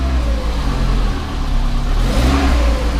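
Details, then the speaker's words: 1994 Volvo 480 2.0 litre, cold start after sitting, newly fitted replacement exhaust downpipe: deep rumble rising with revs plus a chuffing blow under throttle; exhaust leak at the rear coupler joint. "I think I can hear an exhaust blow from the rear let's go out and take a listen yeah it's quite an exhaust blow coming from that coupler"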